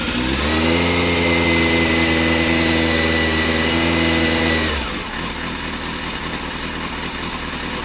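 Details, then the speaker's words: 2000 Yamaha Fazer 600 motorcycle, carburetted: four-cylinder climbs on small throttle blips for about five seconds, then drops away unevenly; falters at wide-open throttle. Fuel delivery fault; owner suspects fuel pump or its relay, gravity-feed bypass failed from air locks. "I don't know if you can hear me over the sound of the engine but that was just like tickling the throttle if I tickle a throttle it does [Music] this it more or less climbs and the rev's okay"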